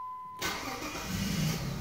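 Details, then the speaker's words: Jeep WK/XK 3.7L V6 after crankshaft position sensor replacement: engine catches almost instantly and settles into a smooth idle, with none of the previous lag on starting; a normal start. "she's definitely got some more kick into her now I noticed that like she yeah there's a huge difference because she used to lag a little bit every time she started"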